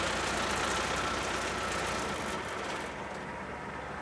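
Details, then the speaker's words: Diesel Bandit 200XP wood chipper: smooth whooshing rush slowly fading as the heavy cutting disc freewheels after the clutch is released. Disc coasting down after clutch disengaged; normal. "now you're hearing that you're hearing that disc in there still spinning so that's that's the idea behind releasing and disengaging the clutch"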